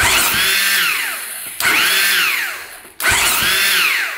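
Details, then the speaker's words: 2001 Husaberg 500cc supermoto (400 frame with 500 engine swap), unrun over 15 years: three electric-starter bursts, whirring rising then sagging, engine not catching; starter spinning without grabbing, grabs once. "Oh, there's electric start. Yeah, it's not grabbing anything. Oh, there we go. Grabs once in"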